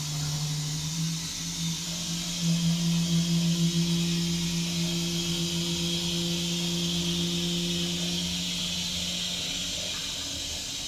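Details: Armitage Shanks toilet: a low steady hum with a higher overtone drones under the water hiss for several seconds after the flush, then fades; humming noise during the refill.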